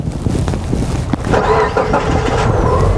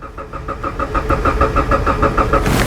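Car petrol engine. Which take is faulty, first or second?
second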